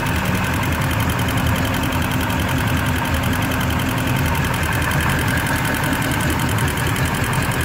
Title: Indmar MCX ticking noise at idle